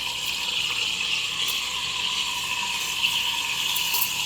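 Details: Espresso machine steam wand tip set about 3/4 down, slightly off centre, half in the milk; steady high hiss with a soft rhythmic pulling note every so often as milk rotates: normal milk steaming and aerating.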